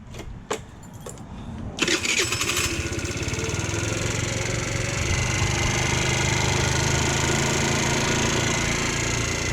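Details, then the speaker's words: GY6 Chinese scooter after refitting a performance air filter without its clamp: a few clicks, short crank, then catches and settles into a steady, even warm-up idle with rear tire turning, idle slightly low; healthy start. "All right, so this sounds good. The idle is just a little low, which is, there we go."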